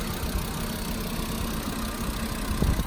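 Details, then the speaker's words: Car at Copart auction lot, started right up, service light on, AC on and cold, drives forward and reverse. Low smooth idle with even rumble, no ticking or knocking; sounds pretty good, healthy. "Okay, so this car sounds pretty good."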